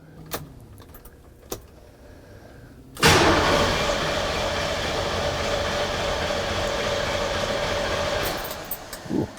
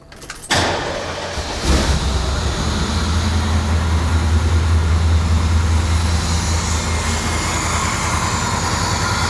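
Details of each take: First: Truck after an intake manifold modification adding a heater port, with the fuel pressure sensor and TPS connectors accidentally swapped because they are identical. Starter cranks steadily for about five seconds but the engine never catches; crank, no start. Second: Engine in a truck, first start after adding a heater port to the intake manifold for a no-heat fix and correcting swapped fuel pressure sensor and TPS connectors. Brief crank, quick catch, then a steady, even idle that settles without stumbling.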